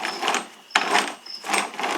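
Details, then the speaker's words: Toro 22-inch Recycler mower, possibly 2009, rear wheel turned by hand after the pinion/plastic gear stripping fix, old wheel fitted: soft, even whirring in slow waves with no clicking, popping or sticking; the gear meshes cleanly but is a bit tight. "now it's moving it's not clicking it's not getting stuck it's pretty pretty tight in there actually so it's freely moving"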